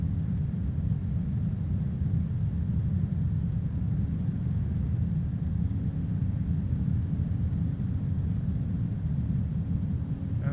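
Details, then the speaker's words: AMChoice RSL06-360-ARGB1 AIO radiator fan at maximum speed: a steady, even rush of air with no ticking or rattle; the fan is at full speed, with weak static pressure of roughly 1 mm. "that is the maximum now as far as the static pressure is concerned it's not impressive maybe 1 millimeter of static pressure"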